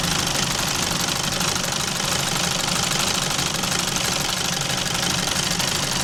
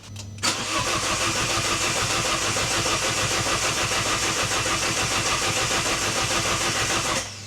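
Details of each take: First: Alfa Romeo Giulietta Cloverleaf, cold start during engine flush warm-up, history of oil pressure warnings and scorched oil: fast loose metallic clatter about three a second over idle; owner suspects worn exhaust variator, not confirmed. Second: Alfa Romeo Giulietta Cloverleaf that was using coolant, after sump cleaned and resealed and battery charged: brisk even cranking, quick catch and steady idle, no nasty noises; healthy start.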